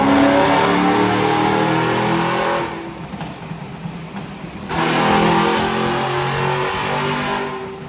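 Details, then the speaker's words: Supercharged BMW E90 M3 V8 on the dyno after a rebuild following an April 2023 engine failure: the note climbs smoothly and cleanly through each pull, drops off, then pulls again; healthy under load. "keep going up and up it sounds so good there's nothing better than this"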